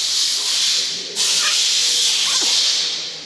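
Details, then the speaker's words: VW Passat with AP88 engine and DSG: air blown through the removed crankcase ventilation valve gives a steady airy hiss where it should seal; worn valve lets turbo pressure into the crankcase, causing leaks and boost loss; membrane replacement alone didn't fix it. "tranca você não passa ar para lá se passar Você tá jogando pressão de turbo para dentro do carter tá aí você tá pressurizando carta e aí começa a ter vazamento perda de pressão de turbo"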